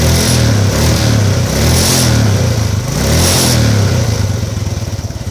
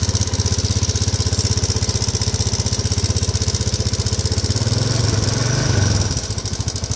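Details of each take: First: Modenas GT128 motorcycle after a timing chain replacement (it had still been noisy). Restarted, the small single revs up and down with even firing and no loud top-end clatter, noticeably quieter than before. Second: Modenas GT128 motorcycle at idle: steady fast ticking rattle about four per second, fading at shutdown, from a slack cam timing chain less than a month after a new chain was fitted.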